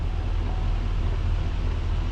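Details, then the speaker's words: 2020+ Chevrolet Silverado after temporary zip-tie fix of steering knock (dealer's intermediate shaft replacement hadn't cured it): only steady low engine and road rumble, no clunk or tick from the column. "no more clunky clunky all gone"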